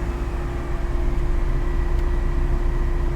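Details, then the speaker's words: Salvage auction car at idle after shifting through reverse and drive: steady, even idle with a constant low hum, no stumble or misfire; roughness cleared, no check engine light. "it cleared up. It's not running rough at all anymore."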